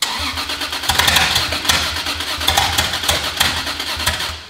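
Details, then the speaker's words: Rebuilt Supra, first start attempt with no exhaust housing fitted. Starter cranks with scattered, uneven pops that never catch; ignition timing was suspected. "it sounds like the ignition is not happening at the right time that's where I'm going to look first"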